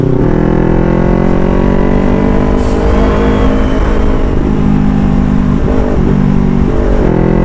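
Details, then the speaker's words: Motorcycle with full-system exhaust after fitting a resonator, riding on the road: smooth deep steady exhaust note rising and falling with throttle, backfire and excessive loudness gone. "so laking improved mga amigo nahulat talaga yung kanyang backfire hindi yung kagaya nakaraan na grabe yung backfire niya"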